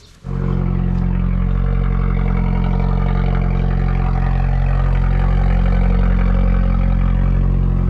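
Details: Engine started cold on choke just after a Forge induction kit was fitted. A steady, even idle with a soft intake sucking note over the engine hum, fading as the choke turns off; normal cold idle.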